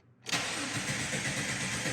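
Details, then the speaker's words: 2002 Jeep Grand Cherokee 4.0, with an intermittent stall that became a continuous crank-no-start, security light on, SKIM module suspected by another shop: the starter spins the engine at a steady even whir but it never fires. "crank crank crank crank crank crank sit here cranking all day long won't do a thing"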